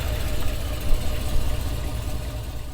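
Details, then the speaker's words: 5.3L V8 Silverado with a 2020-24 C8 Corvette LT2 intake manifold, 2019 ZR1 throttle body, cold-air intake, long-tube headers and true dual exhaust, all untuned: deep, lumpy idle surging and dipping, struggling to hold steady. "so yeah you can hear it having a hard time uh idling like I said none of this is tuned it's not even tuned for the headers the new intake the colder intake or the bigger throttle body"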